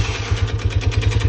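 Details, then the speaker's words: Lifan CityR 175 (162FMK engine), 10,800 km: stalled at about 90 after refuelling, restarted knocking, "unhealthy knock"; sharp regular clatter roughly eight to nine per second over single-cylinder idle; suspected worn piston slapping in bore, head/camshaft wear suspected; piston knock. "Після того двигуна запустився, все заробили, але почав стукати. Приблизно такий сном розбирати, будем дивитися. стук такий прям нездоровий, скажімо так."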